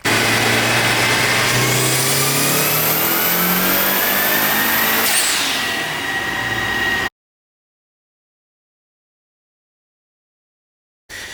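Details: Mitsubishi Mirage 'Evo' sleeper build with the resonator removed, on a full-throttle pull: the engine climbs cleanly through the revs in one steady rising howl with turbo whistle, no misses or hesitation, then cuts off; pulling healthy.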